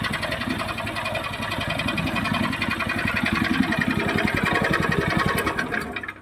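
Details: Horizontal dough mixer driven by a 9 HP General Powell CX 270 petrol engine, second start on half a litre of test fuel: steady, even beat with heavy low drone, no knocks or misses; described as smooth yet heavy because the engine is large. Normal running.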